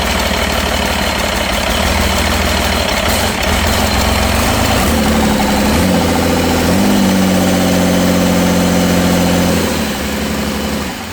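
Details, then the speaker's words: Cummins diesel in a C40 truck, just reassembled with a valve adjustment and second-gen adapter plate: idles with an uneven, stumbling beat and rising drone, ran smooth briefly, then went back to missing. "Hell, it was running smooth. Yeah. And then it just went back to missing again."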